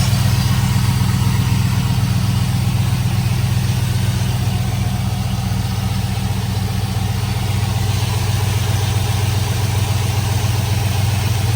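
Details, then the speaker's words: 2005 Chevrolet Silverado 5.3 V8 at idle after replacing leaking aftermarket valve cover gaskets with factory valve covers, AC Delco gaskets and a new PCV tube. Steady, even low rumble with no hissing, so no more vacuum leak; normal idle. "So, we're going to start this thing, check for vacuum leaks. Well, sounds pretty good to me. I don't hear any more vacuum leaks."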